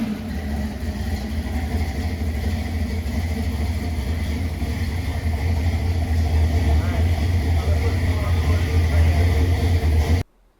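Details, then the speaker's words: Factory Five '35 Hot Rod Truck with a Blueprint 302 small-block crate engine and a 4R70W automatic, on its very first start. There is a deep, even V8 rumble holding steady for about ten seconds with no knocks or misses. It idles normally. "What an awesome feeling, hearing it run for the very first time. And I have to tell you that this thing just sounds like a beast, and it sounds crazy."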